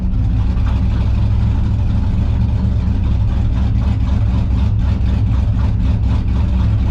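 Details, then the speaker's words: V8 on the dyno during Holley Terminator X EFI tuning: previously stalled no matter what, now holds a loud, even, rumbling idle without stumbling; tuner wonders if bad injectors were the earlier cause; normal idle. "Idle's rock solid now. Before it would shut off no matter what you did."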